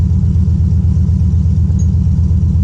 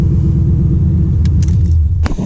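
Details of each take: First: 1996 Impala SS with LS1 swap, idling after battery disconnect for IAC relearn: deep V8 lumpy, uneven pulse around 80 a minute, hunting without settling; points to vacuum leak; relearn failed. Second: 1996 Impala SS with LS1 swap: deep, steady V8 idle, even low rumble holding speed without hunting or stumbling; owner thinks the IAC relearn or PCV fix cured it; normal idle.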